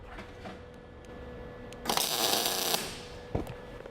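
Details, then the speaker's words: MIG welding on scrap after turning the heat up from a cold setting: a short burst of even, consistent crackling sizzle like frying bacon, the sound of a better weld. "Yeah, it's a little bit better. You can hear it. It sounds more like frying bacon. It's a little more consistent."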